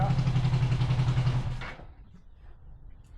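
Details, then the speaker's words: 500cc twin-carb buggy after sitting since winter: lumpy, heavy idle thump about four beats a second, then dies away; still one cylinder even with throttle, owners suspect one isn't getting fuel, cause unknown. "I think it's only running on one. Yeah. The whole time. No. When I gave it throttle, it worked? No. Still one. Still one. So we just run. No. One isn't getting any fuel, or I don't know what it is right now"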